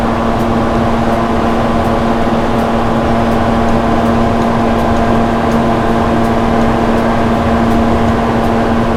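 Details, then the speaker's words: 1970 Plymouth GTX 440 on a dyno before its rebuild, timing backed to about 34 degrees: steady loud drone with a faint light tick about twice a second; an unusual noise whose source isn't found, nothing loose seen. "I hear a noise back there. I don't know what it is. I don't usually have that noise, but I don't see anything loose, but let's make a test anyways."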